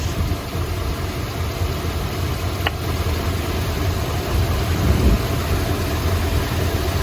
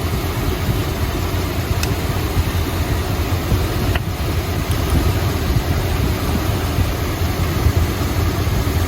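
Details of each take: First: 1972 Chrysler Imperial LeBaron V8 shaking and missing at idle; pulling plug wires one at a time, this wire's removal doesn't change the uneven, loping beat — number 7 plug wire found disconnected and hanging loose, dead cylinder; earlier a burnt plug wire was replaced. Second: 1972 Chrysler Imperial LeBaron 440 V8, hot, idling smoothly after reconnecting number 7 plug wire that had been hanging loose; deep, steady rumble, even beat, no miss; about 19.25–19.5 inches of vacuum, engine happy.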